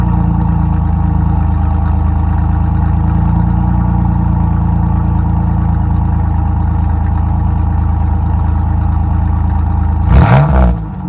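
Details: 1997 Chevy Camaro RS, 3.8L 3800 Series II V6, Cherry Bomb Turbo muffler with new turned-down tailpipe: a deep, steady idle burble with a mild rev blip, smooth and healthy; outside level barely changed, interior drone gone.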